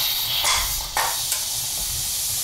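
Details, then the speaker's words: Pressure canner processing beef pot roast, steam still venting as heat is lowered and the pressure regulator is added: continuous, steady, even hiss; normal pre-pressurizing vent. "add the pressure regulator this carefully such that this steam shooting out of here doesn't burn me so there's no string of profanities in this video"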